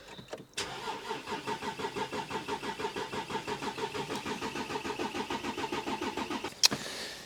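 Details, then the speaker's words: Volkswagen Touareg V6 diesel non-runner, fuel pump refitted, battery recharged, fuel pressure watched on a diagnostic reader while cranking: even starter cranking that never catches, with no fuel rail pressure at all. "so as you can see there we were getting absolutely no fuel pressure whatsoever"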